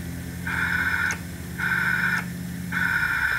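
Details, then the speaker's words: Six-and-a-half-horsepower overhead-valve small engine, previously seized and freed with oil or diesel, showing low compression on a leakdown test. Three sharp one-second hisses rush from the intake as the valve is pushed open. Air leaks past the intake valve, and the owner suspects a rusty valve and seat. "there is some leakage out of the intake valve so the valve and the seat are probably rusty"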